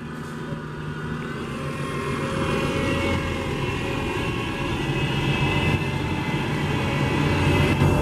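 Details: SEPTA 2009 New Flyer DE41LF #8322 bus, Cummins ISL EPA07 diesel with Allison EP-40 drive: a faint, fairly steady high whine over the low diesel rumble as it builds up; source unclear.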